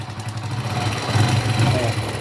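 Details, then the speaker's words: Honda Pop 100 motorcycle burning about 1 L of oil a month, oil fouling the spark plug, before repair: steady idle with a light rattling slap from the loose cam chain, which is to be fixed. "e o que que acontecendo no barulhinho que ela tá ó tá batendo ali chacoalhando a parte corrente de comando"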